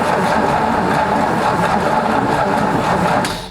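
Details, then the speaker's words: 1960 Ford F100 sat 8 years, cranking after starter cleaning: steady laboured whirring crank about three seconds, no firing; owner thinks battery is too small. Tank suspected full of rust or varnish. "Yeah, I think uh I think that battery is a little bit too small. But we got to crank it over."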